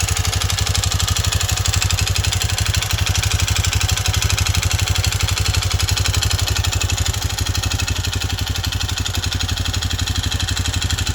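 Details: Honda CT125 Trail 125 with Takegawa 143cc piston and cylinder, noise began after 200 miles and careful break-in, at idle: sharp even tapping about four per second over the single-cylinder exhaust beat; internal knock, owner suspects piston slap.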